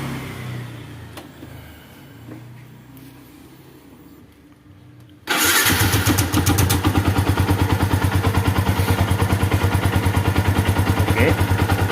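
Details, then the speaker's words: Yamaha Vixion motorcycle after replacing parts in the head and adjusting valves: steady even idle, the earlier rattling from the left side near the water pump housing is gone; a faint light tick remains, possibly worn rocker arm bearing. "Walaupun memang Sebenarnya ada sedikit menggelitik di bagian head dan itu memang seperti saya bilang tadi itu adalah bagian rocker armnya ya bearing rocker arm-nya itu mungkin yang sudah agak"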